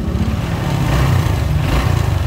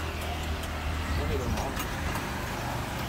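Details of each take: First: Honda Wave RSX 110 (2010–2011) after replacing the worn cam chain with a modified "VIP" cam chain tensioner: low, even engine patter at idle with no ticking or rattle from the top end, running smoothly. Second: Honda RSX 110 (2010–2011) idling before teardown, loose uneven rattle and chatter on top; worn, stretched cam chain and worn guide roller.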